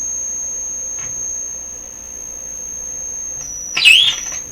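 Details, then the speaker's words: Deforest 10DA517 AM radio running on under 100 supply volts with a jumper resistor across the control; piercing steady high whistle for several seconds then a noisy burst, an audio oscillation howl; cause not yet found. "So the radio is running on less than 100 supply volts. Wow, that's an ear piercer."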